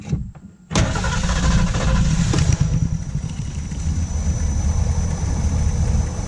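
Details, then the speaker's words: 1979 Ford Pathfinder Quadravan 4x4 with a newly fitted carburetor, positive battery cable reconnected: starter catches quickly and the engine settles into a strong, steady idle with no stumbling; motor sounds good and is not leaking. "Look, I did something right again. All that hard work paid off. Motor sounds good too."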